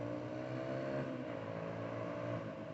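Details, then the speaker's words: 2004 Suzuki DR-Z125L riding: light, even single-cylinder hum at a steady pitch at low revs with no misses; sounds good, though the owner thinks the idle hangs a little high and may need carb adjustment. "it sounds good [Music] it's not bad no it's not bad at all"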